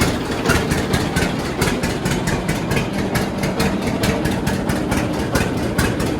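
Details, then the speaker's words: John Deere D two-cylinder tractor idling on new Autolite plugs before re-gapping: slow, uneven pops with skipped, ragged beats. It is misfiring because the plug gaps are too tight (factory spec 0.030 in); D's never idle perfectly. "So you can see there how it kind of ran. Not perfect, but the the D's are never known to run good or perfect at idle."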